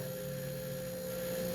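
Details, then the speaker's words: Midea microwave not heating that switches on when plugged in: flat constant freezer-like drone with no pitch change; magnetron 90% likely failed, plus suspected control board or door switch fault. "Tá vendo esse barulho de freezer ligado? 90% de ser esse magnetron que não funciona mais."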